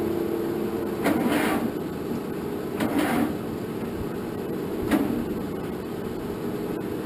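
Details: 1947 Farmall M tractor, first start attempt after engine rebuild with fresh fuel, oil and antifreeze: starter drags the engine very slowly, one labored compression every couple of seconds, never firing; owner believes the battery is no good, cranking too slow.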